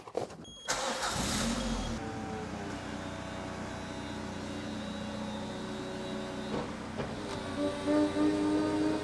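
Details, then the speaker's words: Peugeot 206 CC roof hydraulics, right after replacing the parcel-shelf (tablette) cylinder and purging: electric pump whine surging and faltering, jerky because air remains in the circuit, normal during purge; more responsive than before. "Donc ce bruit, c'est normal parce qu'il y a de l'air dans le circuit. C'est pour ça que c'est un peu saccadé."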